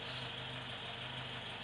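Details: 1976 Alfa Romeo Spider with twin carbs, after cold start: steady even idle with regular low pulse and smooth hiss, no knocks or misses; tach bouncing slightly below 2000 rpm said to be normal.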